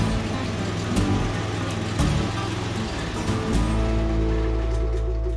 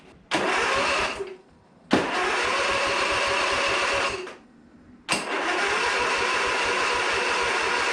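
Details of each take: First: Briggs & Stratton V-twin on a Husqvarna Z246 zero-turn mower, suspected governor issue, started after relay replacement: uneven lumpy running with revs hunting up and down, running on one cylinder, traced to a broken pushrod. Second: Briggs & Stratton V-twin in a Husqvarna Z246 zero-turn mower, first crank after splitting the crankcase and adjusting the governor, with fuel disconnected: three bursts of steady, even cranking, no knocks or scraping; it spins over cleanly.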